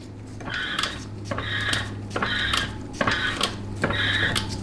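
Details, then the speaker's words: Normal TH350 transmission check: output shaft spun by hand gives light metallic clicking about once a second, the governor weights moving under centrifugal force; no clicking would suggest stripped governor plastic gear teeth. "hear that clicking kind of sound okay that is the weight moving in response to centrifugal force that you are introducing onto that output shaft"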